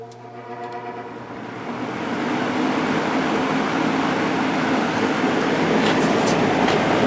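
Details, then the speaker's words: JCPenney/Lakewood 9711 box fan with 3.1 A General Electric motor, regularly oiled, tested after attic storage, on high: motor spins up over two seconds, then a smooth, even rush of air with no rattle or ticking; normal. "high this is a really powerful fan"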